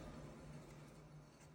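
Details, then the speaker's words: Renault Clio 4 wheel bearing heard while driving fast: from 50–60 km/h a steady low drone with rough hum and vibration felt at the strut top; worn wheel bearing, noise gone after bearing replacement. "qui on roulant vite à partir de 50 60 km/h ça fait un bruit pas possible donc on va écoutter le roulement"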